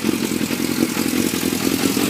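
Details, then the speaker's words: Yamaha FZS600 Fazer on its stand, carbs needing cleaning: even steady burbling idle with no misses or hunting; electrical fault appears only when moved off stand; normal idle. "anyway it sits and idles absolutely fine but if I take it off its stand and move it well I'll show you"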